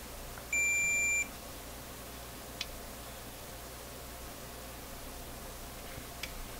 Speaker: Is there a short here? Son of a gun. It's a short. A short.